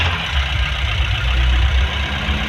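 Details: 2019 Honda CR-V 1.5 turbo petrol with a misfire complaint, at idle: steady low rumble under a constant airy whoosh from the cooling fan rather than the exhaust; cooling fan noise, cause suspected, not confirmed.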